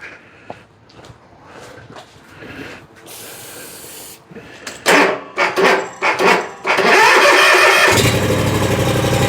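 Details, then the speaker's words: Bobcat zero-turn mower with no-start electrical faults, after brake cleaner shot into intake: rough cranking bursts, then catches and runs unevenly, starting on its own. "That's what I'm talking about. Well, sort of. Well, she started on her own that time."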